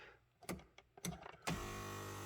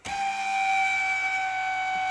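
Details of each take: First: 2016 Mazda CX-5 front power seat after replacing part TK81-88-0D1: a few handling clicks, then a smooth, steady motor hum with no screech. Fixed. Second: 2016 Mazda CX-5 front power seat: loud, steady high-pitched screech the whole time the seat travels, from the seat drive cable.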